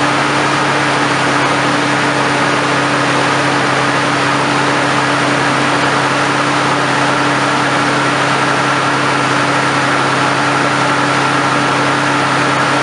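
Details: 1997-2007 Ford F-150 4.2 V6 cold start right after fan clutch replacement: steady even engine hum with constant low drone and faint whir, no knocks or surging; healthy cold idle.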